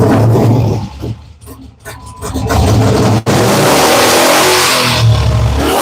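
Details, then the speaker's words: Dodge 5.7L third-gen Hemi with Comp Cams, long under repair: engine only stays alive on throttle stabs, revs sag and nearly die between blips, won't idle, smoke burning off exhaust manifolds; vacuum leak. "It doesn't want to idle. Now, the smoke coming off the engine is probably just crap, but I'm a little worried."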